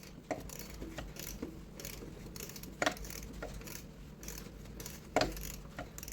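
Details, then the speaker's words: Ford EcoBoost with a replacement cylinder head and timing set without timing tools, engine turned by hand a few revolutions: only soft ratchet clicks a few seconds apart and no metallic tapping, so there is no valve-to-piston contact. "And you want to be quiet and you want to hear the engine spinning. So you will hear if any contact happens. Okay. So far so good."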